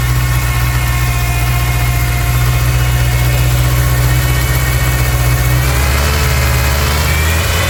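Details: 1999 Ford Ranger 2.5: steady low engine drone that climbs when revved, with a raised airy hiss over it; a massive vacuum leak.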